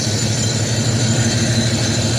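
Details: Box Chevy Caprice Brougham V8 after crossed spark plug wires at the distributor (numbers eight and two) were corrected: steady, even low idle through the exhaust, no pops or backfires; normal idle.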